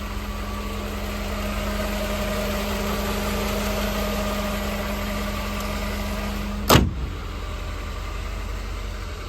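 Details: 1988 Mercedes-Benz 560 SL, warming up after a cold start, water temp just starting to rise, oil pressure still great: even, steady low idle hum with no misses or knocks, a very smooth normal idle.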